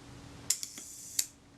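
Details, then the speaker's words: Kodak Retina IIIS shutter after cleaning the speed train: crisp release click, short buzzing escapement run, closing snap about 0.7 s later; running a little quick, speed train needs moving toward lens tube for more cam engagement; shutter speed train running fast. "was running a little bit quick that tells me I need to bring my speed train in towards the lens tube towards the center of the shutter for greater engagement with the cam"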